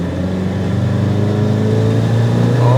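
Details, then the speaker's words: 1988 Toyota Hiace van driving on road: steady low whine over the engine rising with road speed; drivetrain whine, source not identified. "You can hear the whine."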